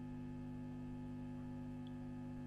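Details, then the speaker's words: Mid-1960s Dallas Scala single-ended tube guitar amplifier, no playing: steady low buzzing hum, louder with tone control up; heaters possibly lacking a centre tap, virtual centre tap planned; mains hum. "so I'm wondering on this amp for one thing if it's got a center tap on the heaters that's a lot of hum"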